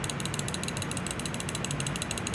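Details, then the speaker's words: CRKT Ignitor assisted-opening folding knife shaken: quick, light metallic clicks about ten a second from a thumb stud with play when it isn't securing the blade. "You hear that little rattle? That's this thumb stud. Okay, the thumb stud it's got some play in it when it's not securing the blade."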